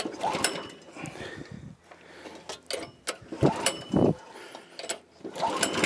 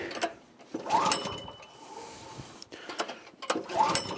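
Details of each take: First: Troy-Bilt tiller repowered with a 6.5 HP 212cc Predator engine, no-start traced to a bad spark plug giving no spark; after replacing the plug it catches and settles into a steady, even firing rhythm with no misses; normal running. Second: Troy-Bilt tiller repowered 14 years ago with a 6.5 hp 212cc Predator engine, first start of the season: three pulls give quick chugging that dies without firing; no-start, no spark found at the plug.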